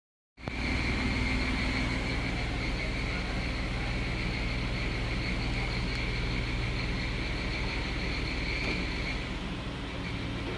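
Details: Jeep JK 3.8 automatic, 30,000 km, cold engine: steady high-pitched whine above idle, staying in D or R, sometimes in N; persists with new tensioner, new serpentine belt, and belt removed.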